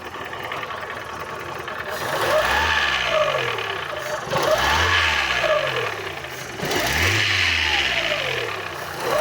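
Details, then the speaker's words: Fiat Uno petrol engine with strange noise and poor running, blipped repeatedly: rough, rapid knock riding on the revs, piston pin knock, before repair. "mostrando para vocês aqui o resultado do vídeo anterior que eu postei aí deste Uno aqui, que ele tava com um barulho estranho e mal funcionamento e tava batendo pino de pino de pistão."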